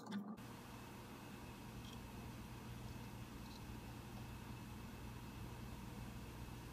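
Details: Mac Pro 1,1/2,1 idling with 32 GB RAM before a Geekbench 3 run, second camera pointed at the machine: soft steady fan whoosh with faint low hum, no rattle or surging; cooling fans idling normally.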